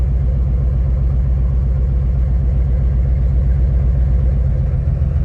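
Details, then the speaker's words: 2006 Nissan 350Z at idle during cylinder cut-out test: cylinder 4 shows no rpm drop, uneven lope from dead cylinder; cause found as disconnected #5 coil and swapped coil connectors on cylinders 4 and 6. "no Okay el cu no está trabajando las revoluciones se mantienen igual Okay no hay caída de revoluciones"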